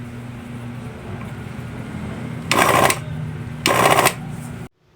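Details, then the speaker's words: Hanabishi blender that would not run after months unused: it hums low and weak with two harsh rattling surges, labouring; opening it reveals a rusted motor. "epektibo naman pala ang ating pangmalakasang tapik at Haplos pero bakit parang hinihika buksan natin ng malaman kung ano ang problema at n mabuksan kalawang na may konting motor"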